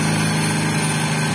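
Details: Honda XRM125 brought in for hard starting and dying at idle: here it holds an even, steady idle with no misses, surges or stalling.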